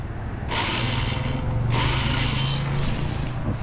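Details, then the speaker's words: Royal Enfield Himalayan on self-start: starter motor whirs freely in bursts with no cranking beat, motor spins but doesn't catch the engine; sound only, won't start. "Sound മാത്രമേ ഉള്ളൂ, motor കറങ്ങുന്നുള്ളൂ, motor പിടിക്കുന്നില്ല."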